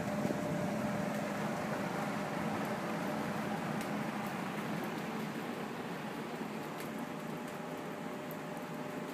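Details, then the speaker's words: Homart Cooler belt-driven fan with a new 2-speed 1/3 hp A.O. Smith motor replacing the original Craftsman motor that was losing RPM, cage off: quiet, steady whir, no knocking or pulley wobble; the fan previously rocked from an out-of-round pulley. "I'll give it a quick little demonstration before I put the cage back on it's very quiet there's very little uh movement in the pulley"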